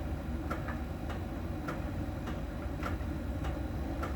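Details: Miele dryer during drying: light, sharp ticks roughly every 0.6 seconds over a low drum rumble, steady with each turn. A small ball sensor ticks at a contact spot on the drum's outer surface; this is normal, nothing wrong.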